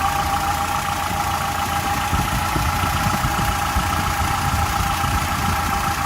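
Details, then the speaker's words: 1995 Nissan D21 Hardbody pickup after crankshaft seal repair; valves clattered at first start after sitting without oil, valve cover off; now smooth, steady idle with even low pulse, no valvetrain clatter; healthy. "But that's just because it had sat here with no oil in it, valve cover off and all. Sounds good now."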